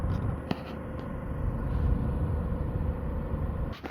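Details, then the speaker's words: DeForce cordless fan (DeWalt battery clone, 2200 RPM) set between low and medium; a steady thin whistle over the airflow hum with handling clicks, from the motor shaft; this fan later burned out and smoked. "With some time and experimentation, if you set it to low medium, like right between the two settings, you get this sound."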